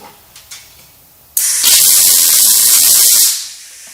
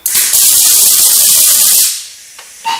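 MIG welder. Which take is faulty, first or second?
second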